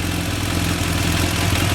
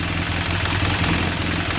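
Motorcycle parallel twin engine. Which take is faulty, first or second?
second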